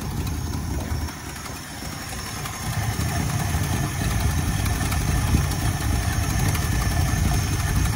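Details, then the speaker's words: 1968 Ford Galaxie 500 V8 after sitting for years, idling on a cheap carburetor after fixing a carburetor gasket vacuum leak; steady low burble, even and unhurried with no misses or knocks; running smoothly. "Little carburetor, that little cheap carburetor, just sitting here idling. Sounds good too."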